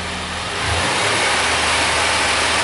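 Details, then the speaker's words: 1999 Suzuki Grand Vitara that won't set inspection monitors, after a brief warm-up with a new universal upstream O2 sensor fitted: engine picks up cleanly on throttle to an even, smooth roar with no misfire or hesitation; responsive, normal revving. "seems to be pretty responsive that's a good thing I guess"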